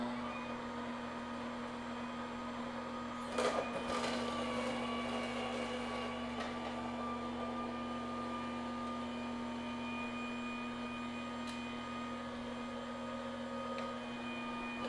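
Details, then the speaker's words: Aicok slow juicer after one week of use, juicing apples, oranges, celery, kale and beet; short delay after switching on, then steady low motor hum at constant pitch with brief produce clatter; normal smooth running. "Okay, so when you turn it on, you'll notice a short delay between the time that the button is on and the engine actually starts working, and that seems normal."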